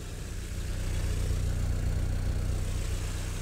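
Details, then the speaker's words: 77-year-old Willys Jeep, engine hot and idling right after being driven and stopped: steady, even low idle with a smooth beat, no sputtering, stumbles or misses; normal hot idle, engine running sweet. "sputtering or doing anything weird straight away from going from hot driving to just suddenly stopping so that's really nice the engine is really sweet"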